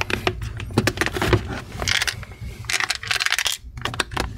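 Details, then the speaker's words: HP Pavilion laptop with a Hard Disk 3F0 error, back cover being removed: irregular light clatter and scraping as the laptop is moved, from a snapped piece of plastic sliding loose inside, found stuck near the hinge. "So, we here to troubleshoot the hard drive while I am troubleshooting and I hear something that is sliding like around the laptop and I trying to figure it out what that is."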